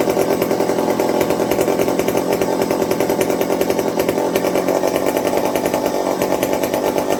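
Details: McCulloch 55 gear-drive chainsaw after a homemade Scotch-Brite pad tank wick and a 090 carburetor swap to cure fuel starvation: dense, steady two-stroke buzz with even firing, no surging or stumbling; running cleanly, normal.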